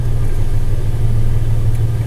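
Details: Toyota FJ Cruiser after an electrical repair for no dash power and no start: a deep, steady idle rumble with an even beat and no stumbles or rattles. It starts and runs normally.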